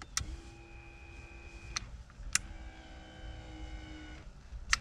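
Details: 1992 Chevy C1500 OBS pickup, DIY electric parking brake made from a cheap linear actuator, revision 1, switch-operated from the cab. Two smooth steady motor whirs of about 1.5 s each, bracketed by sharp clicks; normal actuator operation.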